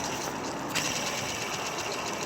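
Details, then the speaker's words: Removed idler pulley from a Jeep Grand Cherokee Laredo accessory drive, spun by hand: dry, gritty hiss with faint ticking, no play or looseness; bearing dry inside and noisy, being replaced along with the tensioner. "It's not loose or play, or it doesn't have any play or something. It's dry inside."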